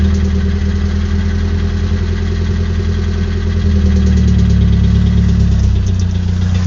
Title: sr20det knocking sound 2